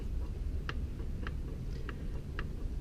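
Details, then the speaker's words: Rod knock confirmed on a 30k-mile Eclipse GSX engine (387hp, dyno and drag-strip use) during teardown: sharp metallic clicks about every 0.6 s as the loose connecting rod is rocked on its worn bearing; no metal shavings seen in oil. "Diagnosis confirmed. Rod knock."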